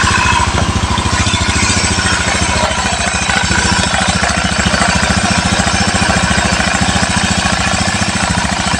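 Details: Rebuilt Honda Beat FI ESP engine idling cool: fast, even firing beat at steady idle, only a faint tick from the unbolted cover, smooth and knock-free; normal idle.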